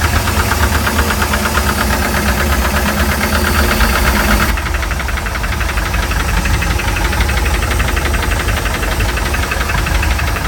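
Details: Mercruiser 3.7 marine engine at startup idle: hard steady knock about three times a second under the engine noise, attributed to bad bearings.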